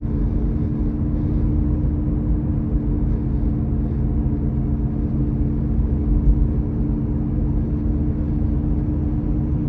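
A constant low drone and hum sits under the road rumble while driving, with no change in pitch; the source can't be pinned down.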